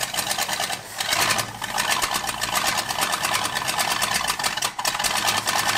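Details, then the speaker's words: 1978 Ford F-150 Ranger Explorer that had been flooded, first start running on a carburetor bowl of fuel. Uneven, stumbling, sputtering chatter, clearly not on all eight cylinders. Suspected cause is a cracked emulsion tube; timing, plugs and valves also likely poor. Misfire. "we definitely don't have all eight cylinders but it's trying to run what that might be is that cracked emulsion tube not working right"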